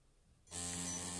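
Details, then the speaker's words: Feiyutech G6 Plus gimbal, balanced on all 3 axes, at power-on: loud steady buzz with thin high whine as motors oscillate instead of holding; automatic motor strength setting failed and didn't help. "makes this horrible noise and I I have tried setting the motor strength automatically it's ruled that failure on app and it doesn't help any it just keeps making that noise"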